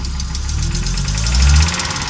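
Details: Audi Coupe converted from an NG to an AAR engine: hard starting and many misfires; the petrol engine idles unevenly, stumbling with a fast ticking clatter on top, and dies while driving. The cause is unknown.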